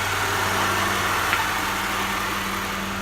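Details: Honda (DC2R) with new battery and immobiliser disabled via ECU, first day running, took a little to start: steady even idle, smooth low hum, no misses, knocks or hunting; normal idle.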